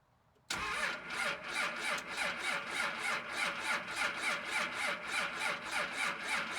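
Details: 2nd Gen Cummins diesel at -9°F in the dark, unstarted for a few days; starter grinds it over with even chuff about three times a second, compression strong, not yet firing.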